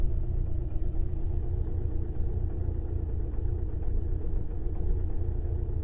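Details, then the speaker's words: 2009 VW Tiguan 2.0 TDI diesel idles heavy and lumpy with jumping rpm and strong shaking, as if running on three cylinders. Misfire with smelly exhaust and some blue smoke; cause not yet confirmed. "you start a car the engine runs very rough so and you can see the rpm jumping a bit and looks like the engine is misfiring"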